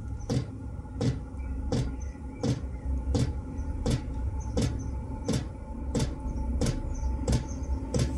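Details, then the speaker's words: 12 V 5 kW Chinese diesel heater, recorded about six inches from the case before quieting modifications: sharp even ticks about 85 a minute over a low hum, pump vibrating the case; loud fuel pump ticking. "it's pretty loud i can't think where the pump is i think it's this side"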